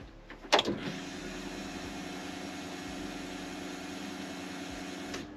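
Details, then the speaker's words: BMW E46 328Ci drift car, key on after a fuel filter change and Walbro 255 L/h pump fitment: steady electric whir for about four and a half seconds then clean cutoff, air bubbles heard in the return line; normal fuel pump priming. "on va devoir mettre le contact au moins trois fois histoire de bien remplir notre filtre à essence on entend la pompe donc réduire en vitesse et j'entends le pas mal de bulles d'air dans le circuit de retour"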